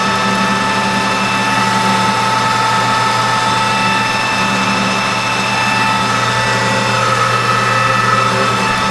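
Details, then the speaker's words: 1988 Rutland lathe at about 620 RPM with new insert tooling, roughing axle blanks for a 1/8-scale steam wagon drive shaft. Steady drone under cutting load with a thin ringing tone. The harmonics don't show on the part; the source is possibly inside the cabinet, unconfirmed. "That's just a little bit of harmonics here somewhere. I mean, it's not showing up on the part, but I can hear it. It could even be something down inside the cabinet."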